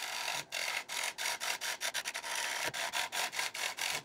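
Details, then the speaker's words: Mango crotch dish on the wood lathe: a steady dry rasping cut with regular short breaks as the tool rides the spinning blank; the uneven scratchy note is suspected to be a crack in the wood. "I think that noise we're hearing is the crack."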